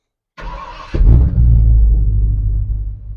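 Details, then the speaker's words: Old Ford F150 after retiming and gear reduction starter fitted, warm at operating temp: half-second crank then catches immediately into steady low rumble; previously would not restart hot, acting like a dead battery. "it's like I just shut it off maybe just maybe we got this problem fixed"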